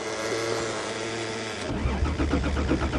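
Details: Snowy December cold start attempt on a Toyota: the starter grinds over in a steady rhythm, about four turns a second, but the engine never catches. Crank, no start; cause suspected, not confirmed.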